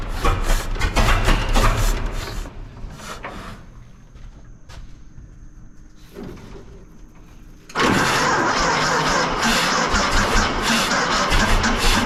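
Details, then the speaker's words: 1926 Seagrave city service ladder truck, 1013 cu in "F" six-cylinder, just started after 10+ years sitting, no work done beyond battery and gas to carburetor; cranks, catches, runs rough with uneven stumbling beat, missing on one or two cylinders. "just got it running it's missing on one or two cylinders but we haven't done anything to this engine just put a battery on it and put some gas to the carburetor and fired it up"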